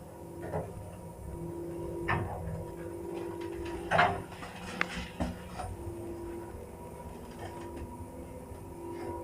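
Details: 1976 Samarkand-built passenger elevator, 320 kg, 0.71 m/s, AS-2-62 6/18 drive motor repaired and initially quieter, about three weeks to a month later: steady loud hum with mid tones under door clunks during acceleration; motor grown loud again.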